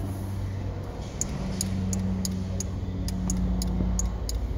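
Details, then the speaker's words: Porsche 986 Boxster, engine running, convertible top switch pressed: top relay clicks sharply two to three times a second but roof won't move; fault traced inside roof relay controller. "hear that clicking the light see the relay here that's the relay there the relay is clicking all right so it's clicking but nothing's happening"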